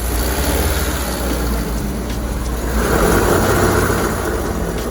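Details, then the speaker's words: 2005 Honda Civic DX driving at close to 40 mph: a loud, steady low drone like an airplane cabin that swells with speed. Diagnosed as a worn right front wheel bearing. "it sounded horrible coming here like it sounded like you're like in an airplane or something right"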